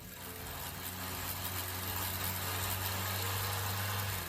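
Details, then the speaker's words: Kia whose owner says it sounds like a grass trimmer: a buzzy, raspy drone over a steady low hum. Abnormal engine noise, cause not stated. "And this customer came in saying, "My Kia sounds like a grass trimmer. Can you do something about it?""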